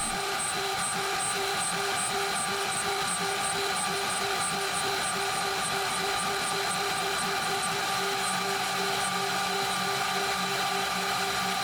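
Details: DMC2 Mini mill during a light cut, part of tests in 6061 aluminum and cold rolled steel: steady spindle hum with dominant motor fan whir louder than the faint cutting chatter; spindle barely loaded, running comfortably.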